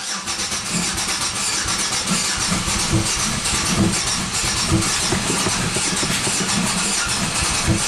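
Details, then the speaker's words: 1997 Buick Century 3.1 V6 at wide open throttle with the oil light on: it barely runs, with uneven chuffing and irregular pops, seemingly on one or two cylinders. Severe misfire from collapsed lifters, no oil pressure. "I think it's running on one or two cylinders oil light is on"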